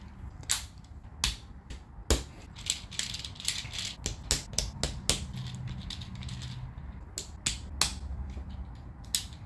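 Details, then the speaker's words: 3D-printed Pinnacle gear sphere in silk PLA, turned by hand: plastic gears click and ratchet unevenly, catching where a stiff gear binds; non-adjustable print. "this one's a bit stiff the um the problem is there's no adjusting it so however it turns out is um however it it behaves"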